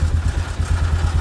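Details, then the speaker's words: 1998 Polaris Sportsman 500 4x4 with the white-and-black kill wire unplugged to cure crank-no-start: single cylinder putters at steady idle and keeps running with the key off or removed; engine won't shut off by key. "i can turn the key off and it doesn't do anything i can take it off and the machine is still running so the only way to turn it off is"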